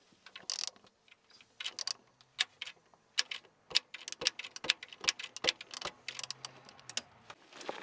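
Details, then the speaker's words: Jeep XJ 4.0L, microphone near crank pulley/timing cover, engine not running: irregular light clacks and ticks from behind the crank pulley, likely slack timing chain touching: clacking noise from timing cover. "Et forcément, derrière, il y a la chaîne de distribution. Alors, je vais essayer de te faire écouter. On va essayer de te rapprocher avec le micro. T'entends les petits clacs qui touchent?"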